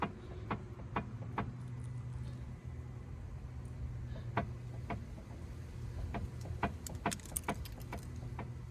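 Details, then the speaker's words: Stationary car with the wheel shaken side to side: loud, irregular knocking clunks that can be felt at the steering arm. The mechanic diagnosed a worn inner track rod. Front steering knock. "If you shake the steering side to side, you can hear a really loud knocking. You can feel it."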